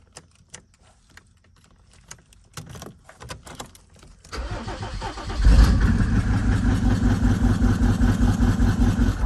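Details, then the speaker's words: 1996 Mercedes-Benz G300 OM606 diesel, bought non-running, after debris fell from the intake manifold/EGR area: faint clicks, then it catches at once into an even, steady idle clatter with no misses. It now starts immediately every time. "yeah it immediately starts all the time now all right cool one thing fixed"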